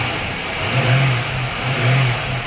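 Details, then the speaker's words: Junkyard 2004 Chevy Lumina SS 5.7 LS1 V8 after a fuel pump swap (it had low fuel pressure): throttle blips give a deep, even rumble that swells and settles cleanly, with smooth exhaust and a smooth-running engine. "smooth see how the exhust sound very smooth engine is smooth and every thing is fin"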